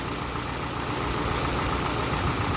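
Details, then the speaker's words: Toyota Avensis petrol engine, still warming up, around 1000 rpm: an uneven, stumbling idle from a continuous misfire with no fault codes. It starts and revs with power. Compression tested fine, and carboned valves not sealing are suspected. "start perfectly when you rev it revs with power but the idling is not constant"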